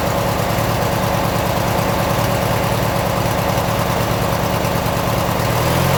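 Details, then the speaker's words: 1996 Briggs & Stratton 17hp I/C opposed-twin flathead, first run on its own in over ten years, Seafoam added: even steady idle with regular low thump, no misses or knocks; holds idle by itself. "nice got a good idle sounds good on an idle"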